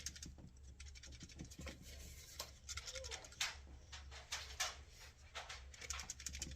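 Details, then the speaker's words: Radiolink RC6GS hand-held RC transmitter shaken: light irregular plastic clicking and rattling, attributed to loose cheap plastic toggle switches; loose switch rattle. "I think it's these light little plastic switches here. They're like that, kind of like cheap plastic."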